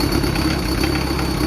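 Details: Toyota 1KZ-TE turbo diesel idling just after its first start following new injectors, cleaned intake manifold and throttle body, and new turbo downpipe and oil return pipe, with fuel lines bled. Steady low clatter with no misses or knocks; running healthy.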